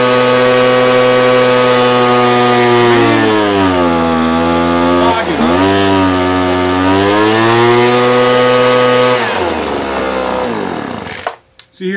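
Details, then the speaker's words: Two-stroke blower during carburetor low-screw tuning: drone sags and breaks up when too rich, struggles and can't reach power when leaned, then RPM climbs back as it is backed out. "breaking up when I got too rich and when I brought it back in it was kind of struggling it couldn't get up to power"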